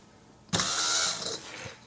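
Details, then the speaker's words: Spare BMW E36 fuel pump bench-tested with a small battery via positive and negative connectors: sudden high-pitched electric buzz, steady then tapering off, pump working normally. "So, here's a fuel pump I have stashed. Let's touch positive and negative. And that works."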